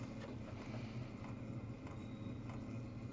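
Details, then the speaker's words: Unmodified stock diesel heater that plugs into AC with built-in transformer, running: soft, even low hum with a faint fan whoosh and no knocks or rattles; quiet, normal operation. "yeah this what you'd expect no modifications done to this at all"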